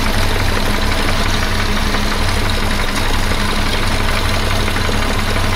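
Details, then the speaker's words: 1976 BMW 2002, restored and run after sitting about a month, with a slight leak noted: steady idle with a constant low whirring drone from the belt-driven smog air pump; the owner plans to remove the noisy pump. "Yeah, I'll get rid of that uh air pump cuz I don't I don't think it's showing me any good. It's making noise."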